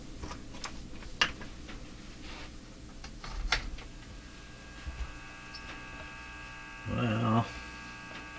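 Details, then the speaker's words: Japanese Zephyr Model 1 radio: steady low hum with an overtone ladder under the programme, unchanged after re-soldering a wire; cause of the hum not found, and the connection may not have been made properly. "humming just like it was. Now, I don't know for sure that this connection was made properly."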